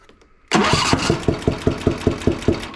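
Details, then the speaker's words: John Deere Z335E zero-turn with Briggs & Stratton 20HP V-twin, thermostat-controlled choke, bogging and losing power under load, popping from the left side: fires up into a lumpy thumping lope, running on one cylinder, sounding different than when it arrived. "When this thing ran in, it sounded quite a bit different than that, so I'm not sure exact"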